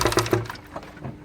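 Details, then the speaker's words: Hyundai H-1 2.5 CRDI diesel started with the timing cover off: three sharp, quick knocks at startup, then a dying rattle as the engine settles, is the timing chain tensioner knocking. Jamming a screwdriver into the tensioner stops the knock. "Все видно, что тарабанит именно натяжитель."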